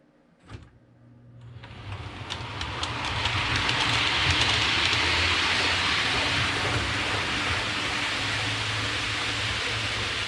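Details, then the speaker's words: Hornby APT model train after cleaning the wheels and copper pickup contacts: smooth rolling hiss with a regular light clickety rhythm as it speeds up, no squeal; squeak gone, one bogey still squeaks slightly. "all right so it's no longer squeaking uh there's one bogey on the first half of the train it has a small little sneak still"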